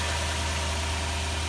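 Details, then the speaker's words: 2004 Toyota Tundra idling after water pump and timing belt job, with a cylinder 3 misfire under investigation and coil packs suspected: smooth, even low rumble with no stumble or skipped beats; running nicely. "we'll see monday morning this thing is running very nicely now"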